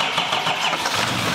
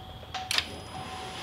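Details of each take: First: 2021 Duramax Silverado 2500 diesel rebuild, first start after fuel lines, fuel and oil were added and fuel was primed: brief, even clatter as it catches and settles, no knocks or misses; healthy start. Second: 2021 Chevrolet Silverado 2500 Duramax diesel rebuild, first start attempt, no fuel in the rails: even cranking about 3.5 turns per second with no firing; crank no start, fuel system not yet primed.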